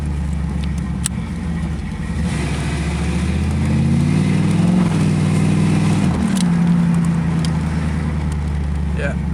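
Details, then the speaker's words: 1986 Chevrolet Camaro IROC-Z after welding the exhaust pipe broken at the Y-pipe fork: low smooth idle, clean rev-up and settle, no puffing or ticking; exhaust leak-free, sounds way better, normal exhaust note. "all right so the uh pipe cell fixed up exhaust is uh leak free now so uh we'll give it its first start you'll be able to hear the difference right it sounds a bunch better"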